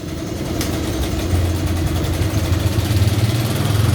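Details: Honda Kharisma motorcycle after fuel tap replaced (faulty tap let fuel be sucked through the intake manifold constantly, fouling spark plugs): small single holds a steady even idle with no throttle, no stumbling; normal idle after repair.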